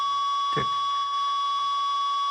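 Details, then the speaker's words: Ten Tec Paragon #1 (working transceiver), AM transistor radio held by the processor: over steady radio whine a soft click once a second, the real-time clock interrupt feeding the display; CPU noise lower than non-working unit; normal clock tick. "that's the interrupt from this board for the actual 1 second Paul keeping time and that would go to the display right there"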